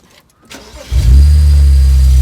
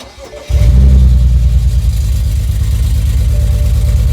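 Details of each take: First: BMW 335i E91 wagon with N54 petrol engine after replacing a faulty ignition coil that caused a misfire moved to cylinder two: cranks, catches and settles into a steady, even idle with no misfire. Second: BMW 335i E91 wagon with N54 engine starting and settling into a lumpy, uneven idle from a really bad misfire; the code reads a cylinder 1 misfire, diagnosed by swapping parts between cylinders, with a failing ignition coil as the cause.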